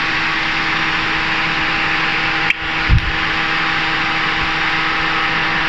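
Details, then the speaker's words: Proton Saga FLX (CVT): after pressing the brake blows the TCM fuse, engine is switched off and key turned off, yet the electric cooling fan keeps running with a steady whoosh and faint hum; removing the neighbouring lamp fuse stops the fan. TCM short suspected. "Lepas tu kita matikan enjin, kipas masih jalan. Tengok kameramen depan, kipas masih jalan, kunci dah off. Kipas masih jalan."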